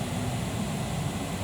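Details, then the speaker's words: 2003 Jeep Liberty with no air from the vents: during blower motor and resistor checks the blower kicks in at full speed on the duty-cycle control wire, a steady airy rush with a smooth hum and no rubbing or ticking, so the blower runs normally. "the blower motor just kicked in you can hear the blower motor okay we'll go full speed on this one actually that is full speed"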